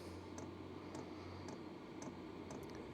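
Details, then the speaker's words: Hcalory Toolbox 2 (2025) diesel heater on DC, startup with glow plug drawing about 100–113 W: soft regular fuel pump ticks about every half second over low hum as it primes, ramping toward level 10; normal. "starting to increase it's priming up as it's it's starting its Journey up to uh a level 10"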